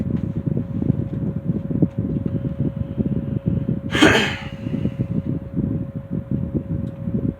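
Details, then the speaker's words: 1960s Phoenix 16-inch box fan, motor cleaned and serviced, switch replaced with toggle; smooth even hum on low, faint steady tone, no rattle or scrape; normal running. "Fan is still running like it should. This has been in excessive use, so it's still running like a diamond."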